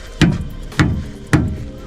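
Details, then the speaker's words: VW Golf Mk4 Estate 2.3 V5 with upgraded dog bone mount, hunting a knock: rubber mallet tap test on subframe gives dull, even thuds dying away cleanly, sounding solid; control arm also fairly solid. "Sounds pretty solid. Hit this control arm. Sounds fairly solid."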